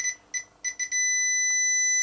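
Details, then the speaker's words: Multimeter continuity check across the mains plug pins of a Ferguson FRG-120D DAB radio: short beeps then a steady tone; neutral and live both have continuity, no blown fuse, power cable fine. "your continuity there that's fine too the neutral let's check the live just a very simple little check just in case you've got simply a blown fuse"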